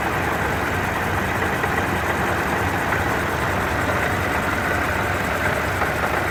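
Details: Car at steady idle with a dense rattling grind like marbles tumbling, heard inside the car. With the hood open it is clearly coming from the supercharger, not the engine.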